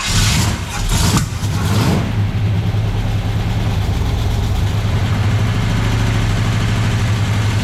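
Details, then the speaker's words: Camaro (split-bumper conversion) carbureted V8 at start-up: a loud burst then an uneven, lumpy idle with backfiring; no fuel line fitted to the carburetor yet, so it is starved of fuel and sucking air. "Oh, you know what? It's because you don't have a fuel line coming up here yet. It's sucking air at the same time."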